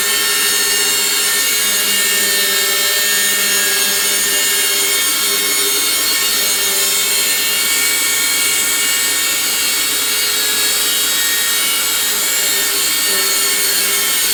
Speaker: Okay, this vacuum just keeps making a very loud noise. And that's the reason why I can't vacuum my room, because what kind of noise is this?